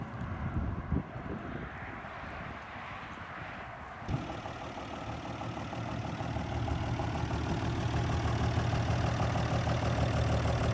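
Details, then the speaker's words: 1962 Ford Falcon, revived after sitting since 1982, just after setting the points on the road: some knocking at first, then settles into a steady, even low idle with no misses; sounds normal. "Sounds normal."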